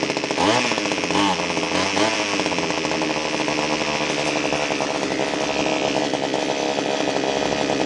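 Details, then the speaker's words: Echo HC1500 hedge trimmer two-stroke after fuel line and carburetor work, new plug, first start without air filter: revs flare and stumble, then uneven high idle; carburetor needs adjusting. "all right it's gonna need some basic carburetor adjustments but before we do that we're going to put the air filter on it and make those adjustments"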